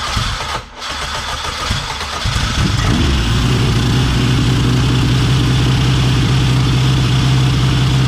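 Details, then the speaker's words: K24 AWD-swapped Honda Civic, built engine, replacement starter, radiator, intercooler piping and blow-off valve fitted: about two seconds of cranking, then catches and settles into a steady even idle, no ticking; warmed up to bleed cooling system. "Actually started it, let it warm up a little bit, and let a little bit of the cooling system bleed."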